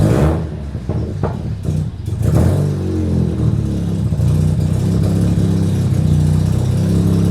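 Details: Mazda RX7 rotary, off the street 2.5 years, first run before driving out of garage: settles from first blips into a steady, even low drone with no knocks or rattles; running healthy.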